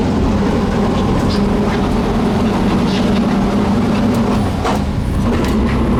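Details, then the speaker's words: Lumber truck with an overheated, failing transmission that gives high-pitched scrapes in low gears, taking off from a stop: a constant low growl and harsh thrashing under light load. "all right we're blowing the stop sign hear it oh my God it sounds horrible just thrashing the inside of that"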